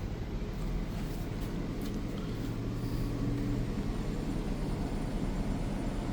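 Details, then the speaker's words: Two Furrion Chill Cube 18k heat-pump roof ACs on a Thor Outlaw, front and rear both on turbo at 67 for max cooling, duct closed, about 60–61 dB: a constant low rumble and fan rush with no rattles or squeals. Normal operation. "And this is max cooling, both front and rear AC at the same time. Looking at about 60 to 61 decibels."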